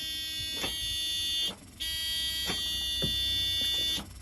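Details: Old non-running Scania airfield refuelling tanker on start attempts. A steady high electronic buzz cuts on and off with each key attempt, with no starter whir or cranking; the engine does not turn over.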